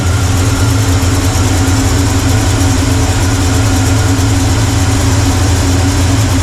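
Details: 1985 Chevrolet C10 with a Blueprint 350 V8 that won't exceed 500 rpm, vacuum leak suspected after the intake was redone, timing being reset after the distributor moved: loud, low V8 idle with a slightly uneven pulse, running rough.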